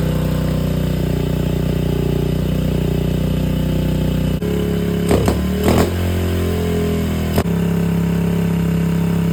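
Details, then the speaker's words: 2001 Honda XR70R after fitting 20mm TB carb and jetting changes: steady single-cylinder idle, but each throttle blip from idle sags and stumbles before picking up; off-idle bog, cause not yet found, likely fuelling. "She's running pretty good. Not great, but pretty good. So, basically what we got going on here is if I just from idle, I just give it just box, which I'm sure you can hear."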